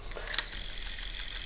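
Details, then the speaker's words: Sony M200 microcassette recorder during playback: faint, fairly regular light ticks under tape hiss, from a substitute drive belt of the wrong size with slightly too much tension on the pulley. "That clicking is basically just because of a little bit too much tension on one of the belts."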